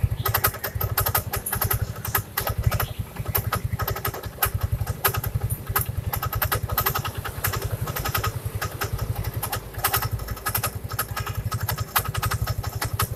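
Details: First-generation Yamaha Mio scooter idling: after a few seconds a rapid, rattly, harsh scraping chatter rides over the engine. Something is rubbing at the front of the CVT area; the noise disappears with the CVT cover opened.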